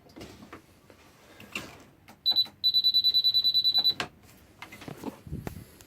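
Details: Peugeot E-Vivacity scooter that won't start: high, sharp beep repeating quickly about a dozen times in a burst on the failed start attempt; fault unknown.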